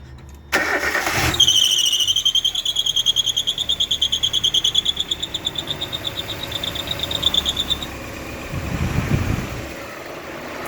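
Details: Engine cranks and fires, then a shrill chirping squeak pulses about three times a second at startup before fading, despite new tight belts and new alternator; idle also dips as if dying then recovers.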